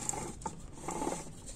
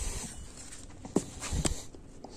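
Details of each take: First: 1999 Mitsubishi Eclipse GS A604/41TE transmission during home rebuild, output shaft and differential installed and hand-spun: light, uneven ticking patter; normal gear clatter because no gear is yet fitted on that side. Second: A604/41TE transmission from a 1999 Mitsubishi Eclipse GS, mid-rebuild and turned by hand after torquing the bolts: rhythmic rasping clatter in bursts about every second. This is because no gear is fitted on that side yet.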